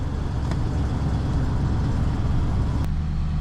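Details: 2017 Nissan Titan V8 after starter replacement for a no-start: an earlier start sounded like an exhaust leak, possibly lifters not pumped up; now a low, steady, quiet idle with no ticking or tapping, healthy.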